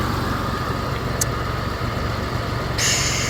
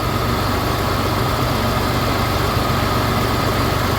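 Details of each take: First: Mitsubishi 3000GT VR4 after a fuel pump hotwire install, idling a little high with a steady airy hiss; a vacuum leak is suspected, possibly the intake-to-valve-cover hose or a small vacuum line, not confirmed. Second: Mitsubishi 3000GT VR4 after installing a fuel pump hotwire kit, fixing rough idle from fuel starvation: steady, even idle with a smooth low hum and no stumbles or misses; engine now idles smoothly.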